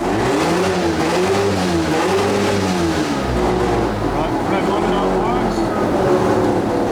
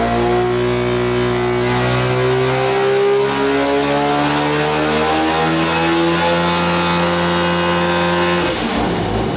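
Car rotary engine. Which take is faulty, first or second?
second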